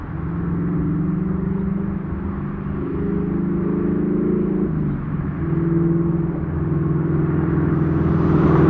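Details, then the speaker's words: Ford Mustang with Coyote V8 after new exhaust and Y-pipe install fixing a months-long rattle (traced to a fender bolt), recorded from outside: deep smooth rumble rising gently with revs, no rattles or buzzing; healthy exhaust. "I'm an absolute love with the sound of the new exhaust on the Mustang one there's no rattles two the Mufflers sound great and it sounds incredible when you're cruising and it's low where you want it there's no drone"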